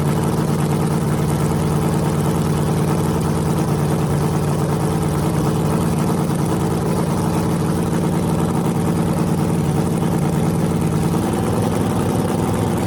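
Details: Freshly rebuilt small block Chevy 350 (355) on a converted run stand, open headers, restarted after adding gas: a deep, even V8 rumble, smooth with no ticking or knocking. Normal running; afterwards it reads 107° front and 76° back, plenum 69°.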